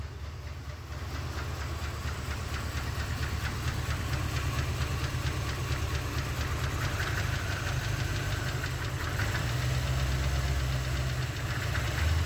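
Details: 1988/89 Chevrolet Corvette C4, sat over winter, first start after rewiring and hotwiring the ignition: low, lumpy idle with uneven stumbles and loping beats; misfiring and running rough, cause not confirmed.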